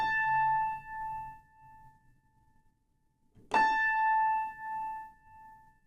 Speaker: It's not quite pure. There's a little bit of vibrato, a little bit of a wave.